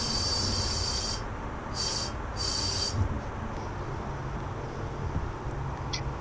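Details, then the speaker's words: 1999 Honda Civic Si, stock B16, leak-down test with the cylinder at TDC: sharp bursts of hissing air as the cylinder barely holds pressure. "yeah it's leaking pretty good it's actually holding there too it's actually holding a little bit of air I can hear it coming out of right"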